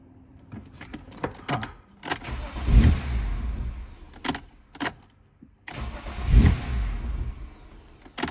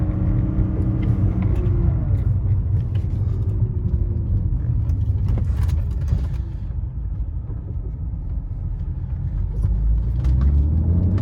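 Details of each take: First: 1998 BMW E36 M3 with a long-standing hot no-start, after fitting a new genuine cam sensor: two short cranking bursts sputter, catch roughly and die. Same behaviour as before, sounding like a big vacuum leak. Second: 1998 BMW E36 M3, S52 engine with Turner tune, under acceleration after new cam sensor cured hot no-start: deep, even drone pulling steadily with no knocks, misses or rattles; engine healthy.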